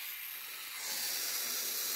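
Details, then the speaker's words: ChTZ-Uraltrak PK-30 mini front loader (2023), low frame, boom moving with flow restrictor fitted: steady high-pitched hiss swelling as oil bypasses through the restrictor to end of travel; normal for throttled circuit. "Вот она то что через замедлитель идет вот там слышно как перепускается до конца"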